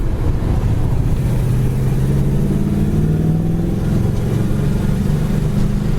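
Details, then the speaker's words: 1966 Chevelle Malibu with dual exhaust, manual clutch and 12-bolt rear, accelerating on a road drive: a deep, even rumble that climbs smoothly with great throttle response and no misses or knocks. A healthy engine. "It's got great throttle response. Really nice sounding dual exhaust as well."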